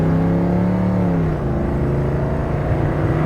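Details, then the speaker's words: 1972 Ford Maverick automatic accelerating from first: 1-2 shift slightly soft, 2-3 shift drawn out almost half a second, engine note sagging slowly; lazy delayed upshift, cause unknown. "Yeah, I don't know. That 2-3 shift, I'm not liking that 2-3 shift. 1-2 shift it's okay. It's a little soft, just a hair, but it's that 2-3 shift that's really getting me."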